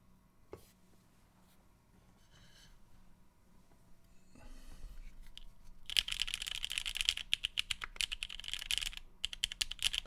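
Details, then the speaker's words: Vast 60 R1 extra keyboard build with Gateron Milky Black switches and ePBT keycaps: a quick typing run gives uneven bursts of crisp, fairly deep, even clacks. It sounds healthy, though the plate still creaks slightly under some presses. "Okay. That actually sounds pretty damn good."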